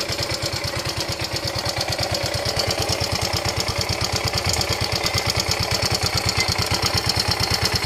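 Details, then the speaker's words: Yamaha Ego Solaris scooter engine idling rough before teardown: harsh, rapid metallic clatter over the idle throughout; cause found to be a worn cylinder and a broken cam bearing. "Di mana masalah dia ni ialah masalah enjin. Enjin dia bunyi kasar. Memang cukup teroklah bunyi dia ni."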